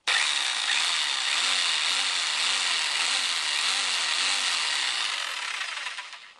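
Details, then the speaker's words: Einhell BBH 850/1 SDS-Plus 850 W rotary hammer after new brushes, sealing the gearbox and replacing its grease: smooth, even high-pitched motor whir in drill mode with no knocking or grinding, then a clean spin-down; works normally. "Tôi nghe thấy tiếng ồn của búa khoan. Và chế độ hoạt động của máy khoan ..."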